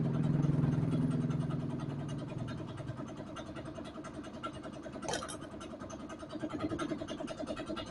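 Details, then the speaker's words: Yamaha Vega ZR, a small single-cylinder bike left unused for a long time and hard to start, labours loudly, then its beat sags ragged and uneven; rough running, with a rusty, dirt-filled fuel tank found. "Ya, jadi kondisinya seperti itu ya, dinyalakan juga susah karena kondisinya memang sudah parah, karena kendaraan ini itu tadinya enggak digunakan ya, ataupun enggak dipakai, jadi nganggur terlalu lama."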